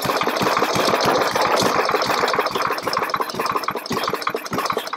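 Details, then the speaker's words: Push mower that had been sputtering, losing power, hard starting and blowing black smoke: uneven sputtering firing loses pace and fades as the engine surges and stalls, exhaust blowing lots of black smoke. "and just doesn't want to run but one thing you do notice your exhaust is blowing out a lot of black smoke like this"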